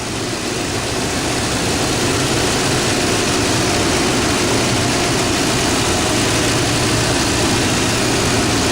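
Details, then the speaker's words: Toyota Tundra just started after a serpentine belt replacement: smooth even idle with a steady low rumble and no belt squeal or chirp. Runs smooth, normal idle. "I I've just started that bad boy up and this thing was a real to put on but it seems to be running smooth doing"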